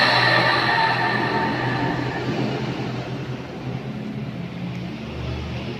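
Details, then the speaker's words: Coconut grater motor that previously only hummed and vibrated without turning, after disassembly and lubricating the shaft: steady mains hum with even spinning whir, no stalled buzz; motor now turns freely by itself. "Sudah sip ya, sudah bagus."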